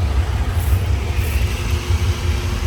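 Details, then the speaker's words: Hayward Universal H-Series H400FDP 400k BTU pool/spa gas heater after display control board replacement, called for heat on the spa side: even, deep roar with steady low rumble, no knocks or rattles as burner and exhaust blower run; normal running. "You can't feel it, but there's definitely heat coming out of the heater, which is a good thing. These heaters working."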